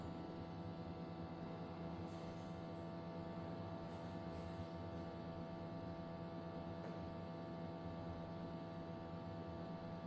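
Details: Tascam disc player playing Blue Planet 2 Ultra HD disc: steady loud droning hum with a buzzy vibrating edge, unchanged through playback.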